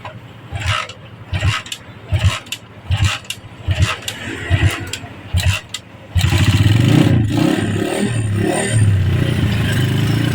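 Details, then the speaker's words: Honda GL Pro Neotech motorcycle, repeated kick-start attempts failing about eight times before catching; hard to start cold and hot, compression weak, valves to be checked first; leaking exhaust valve. "Ini kalau kita engkol dia memang benar-benar susah hidup ya. Ini kita coba lagi. Benar-benar susah hidup."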